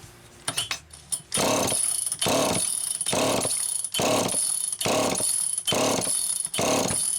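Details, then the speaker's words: Old Super EZ Automatic chainsaw with deteriorated filter grommet and stiff fuel hose: about eight rasping starter pulls, never fires, not drawing fuel; no start from fuel starvation. "No, that's not drawing fuel. Definitely not drawing fuel."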